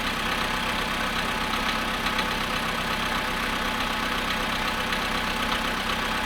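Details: Volkswagen Polo sedan at 0.5 °C after standing 13 hours, cold start idle: sharp, light ticking knock about two per second over a hissy background; engine knock, cause not pinned down.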